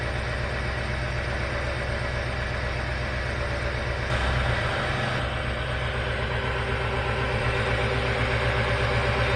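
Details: 1968 Rolls-Royce Silver Shadow convertible (Corniche) with swapped-in Chevy 350 V8, replacing a cracked-block 350: steady, even idle with a smooth low pulse around four per second, no knocks or misses; runs healthy.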